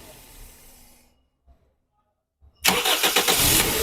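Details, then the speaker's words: Toyota Corolla with a no-crank/no-start fault from a loose ignition current wire; after reconnecting that wire, short silence then the engine fires almost instantly and settles into a steady idle, a normal quick start. "यह गाड़ी अभी मैंने current लगाया और गाड़ी start हो गई"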